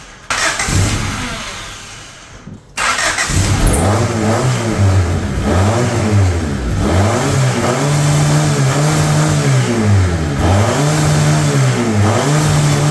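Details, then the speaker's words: Abandoned high-mileage Honda CRX after timing belt work and reassembly: steady cranking about three beats a second runs on without catching; timing ruled out, owner unsure if fuel; cause was two unplugged connectors. "So that didn't go well. I know it's not the timing because we already started it after the timing. I just got to go through, recheck everything in there, and see what's going on, see why it's not turning on."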